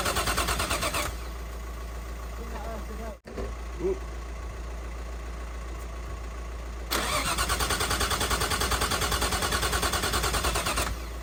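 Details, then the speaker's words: Nissan R33 Skyline with freshly built forged RB engine, first start with running-in oil: starter cranks in steady bursts around 300 per minute but never fires; cause spark plugs, replacing them got it running. "basically it was a spark plugs that's what that's why we're cranking it just turning over and it wasn't firing"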